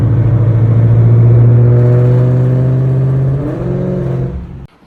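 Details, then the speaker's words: S650 Ford Mustang GT V8 with an aftermarket exhaust the owner is having taken off: a heavy, booming low drone that rises, holds, then fades and cuts off as the engine stops, a loud aftermarket exhaust. "Hey man, I'm just making this video because I'm taking that exhaust off, bro."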